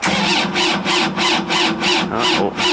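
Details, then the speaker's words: John Deere compact tractor diesel, left outside overnight in freezing cold, after a new battery negative cable and regrounding: starter labours in slow surges about three per second, engine never fires; no start. "wow we still got that problem that sucks big time wow I can't believe that don't leave it outside no that's not gonna start"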